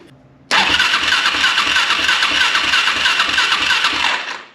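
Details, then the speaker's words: KFX400 engine after starter clutch replacement, cranked with spark plug wires off: steady, even cranking at about three turns a second, no grinding or slipping; starter engages and turns over cleanly. "and that sounds absolutely perfect"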